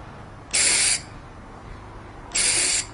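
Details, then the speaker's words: MIG welder torch triggered after swapping in a freshly refilled CO2 cylinder: two short, even bursts of sharp hiss showing shielding gas flows properly; welders set CO2 flow by this sound, needing only enough to prevent porosity. "такие вот характерные шип сразу слушаю все значит углекислота есть также с помощью вот этого звука обычно сварщик регулирует подачу углекислоты"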